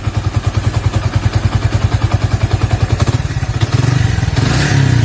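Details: Yamaha Vixion (2000–2011 model) single-cylinder, engine hot above 100°C: lumpy idle with loose clattering whine that changes when the clutch is worked, blamed on flattened, worn clutch housing damper rubbers; clutch rattle.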